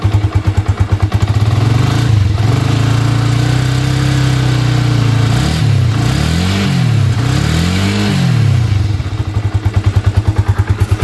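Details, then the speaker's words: Yamaha Vixion after compression and head repair, with oil refilled, a leak glued and the radiator filled. Electric start, then a steady, even idle with clean throttle blips and no bubbles at the radiator: the engine is normal, no head gasket leak. "air radiator sudah terpasang langsung kita starter Halus bos"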